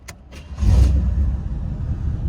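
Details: Very high-mileage Pontiac Parisienne started after fitting a new Master Pro belt following overheating. A short crank, then it catches quickly and settles into an even, low rumbling idle with no squeal or rattle; the temperature gauge returns to about 160: normal start.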